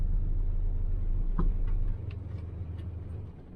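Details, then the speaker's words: 1968 Nomad: low, slightly uneven loping idle, about three or four pulses a second, starts right up; mildly rough idle, owner suspects distributor or valves, not confirmed. "something just just a little rough on the idle but starts right up and everything it's about best I can do with it"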